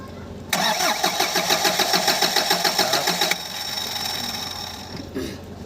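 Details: Bongo 3 with hard starting: steady rhythmic cranking at about three and a half beats per second for three seconds, the engine never catches and it falls quiet; the cause is suspected, not confirmed.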